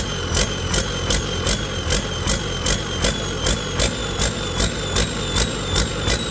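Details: Detroit 40 series generator turbo diesel (rebranded Navistar DT466, possibly DT530), sat outside 5+ years, after bleeding injectors: speed rises and falls about 2.5 times a second at no load, throttle pulsing; owner suspects flywheel governor, unconfirmed.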